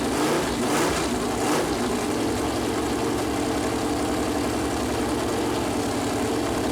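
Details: Freshly built Chevy Performance 454 big-block on run-in stand, first start, warming up: deep steady V8 idle with even lope, no knocks or ticks; plastic oil-gauge line later hit headers and leaked oil; normal idle.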